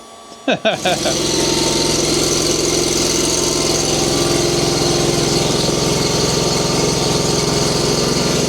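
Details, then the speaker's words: Frozen Kawasaki-engined mower on a cold December morning, started after heating the cylinder directly instead of more starting fluid: a few coughs, then catches and settles into steady, even run with no misfires; normal running. "All right, so I didn't spray any more starting fluid in there. I just heated up did that trick I was telling you guys about."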